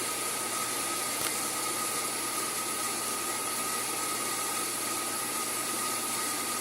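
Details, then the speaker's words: Sun SPARCstation 20 (75 MHz CPU, 128 MB RAM) running power-on tests: loud steady rushing roar with thin high whistle like a broken vacuum cleaner; dying cooling fan, to be replaced. "but first it's running all these tests is the dry fan is dying now I purchased a dry fan at the Micra Center for like 10 bucks and I'm going to actually replace it"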